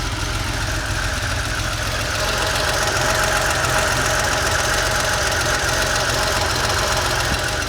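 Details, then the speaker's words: Porsche 911 3.2L air-cooled flat-six, cold warm-up idle about 850 rpm, heard from underneath one cylinder bank: light, quick ticking over an even airy idle; other side sounds better; uneven leak-down results, cause not confirmed. "so if i lay down underneath here you can hear some ticking on this side"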